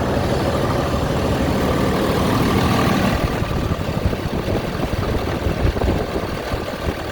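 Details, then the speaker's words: Freightliner M2 106 with Cummins diesel, first start after squeal repair: steady diesel idle with turbo spooling, no squeal or hiss; fixed, normal idle. "All right, boys, I think we fixed her. We're good. That's the turbo spooling up."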